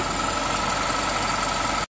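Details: 2008 Honda Civic Hybrid, 185,000 miles, idling after a new Dayco 4PK1600 serpentine belt was fitted, auto tensioner position unchanged: a steady, even idle hum with no belt squeal or chirp, and it sounds healthy.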